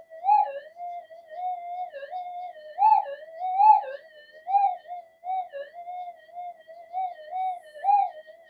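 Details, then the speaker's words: Metal detector on upgraded GPX-5000-type boards in mono mode, no noise-control or frequency changes: wavering mid-pitched threshold tone swelling and dipping randomly, target lost in the noise; the coils are not properly balanced. "It's It's up here somewhere, but it's in the noise. The thing is that noise goes away. This will be up here somewhere. It's just that um these coils are not properly balanced. That's the only issue."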